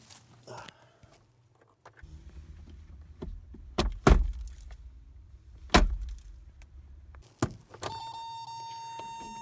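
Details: 1987 Toyota pickup, 22R gas engine, about 242,000 miles with the odometer possibly stopped, sat abandoned for years; low, even churning as it cranks for about five seconds with thumps, never catches. Later starts on fresh fuel poured into the carburetor.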